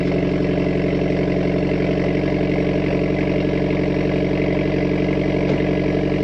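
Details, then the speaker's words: Mitsubishi Evo X, turbo, not fully warm, after spark plug re-gapping; breaks up under high boost and misfires since plug change: lumpy, chuffing idle with periodic skips, same misfires as before; cause unresolved. "i would say that's the same amount of misfires as before okay so i mean it runs"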